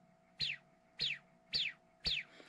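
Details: Hyperlite 2207.5 1922KV brushless quad motor after bearing replacement, four quick hand spins: each a clean falling whirr that dies away smoothly with no grit or rattle. Healthy new bearings, in contrast to worn, crash-damaged ones.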